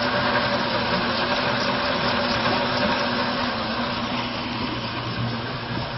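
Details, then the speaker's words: Bayliner 2252 Express Hardtop V6 inboard, just started without throttle at idle: steady, even idle with a smooth rhythm and no misfire; the engine runs properly. "kan høre så er der ikke nogen misl for motoren går rigtig fornuftigt"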